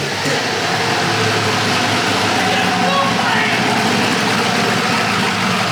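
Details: Polaris RZR with a swapped-in Yamaha Nytro snowmobile triple-cylinder engine, running after its fuel issue was sorted; more sensors still to be added. Catches and holds a steady, even run with a free rev, no misses or knocks; normal running.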